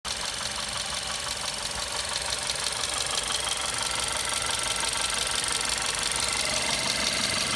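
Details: VW Golf 6 Comfortline 122 TSI, cold engine: sharp, even ticking about three times a second over a quiet idle; the source of the noise is unknown.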